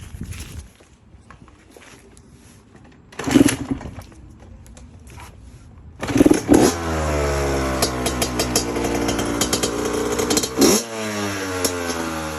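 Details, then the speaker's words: Honda CR80 two-stroke just after a troublesome rebuild, not yet fully torqued down: fires after a couple of kicks and revs crisply, pitch rising and falling cleanly with throttle; sounds and feels healthy. "Man, this thing was giving me like hell, but finally got it right. She sounds and feels amazing, man."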